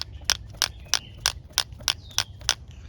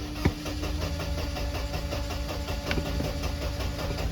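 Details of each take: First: 1993 Mercedes 190 idle air control valve removed and worked by hand after vacuum leaks were ruled out: sharp, crisp clicks about three a second; valve moves freely, not stuck, though dirty and oily, to be cleaned. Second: 1993 Mercedes 190 with the coolant temp gauge still pegged after a new temp sensor: a long cranking drone with the foot on the gas pedal before it catches and runs unevenly. Hard start.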